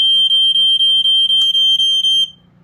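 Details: Montgomery Wards 84-7 ionization smoke alarm from the 1980s, BRK 79R based, with its normal piezo horn: loud shrill high-pitched horn pulsing about four times a second, clean and strong; sounder working properly.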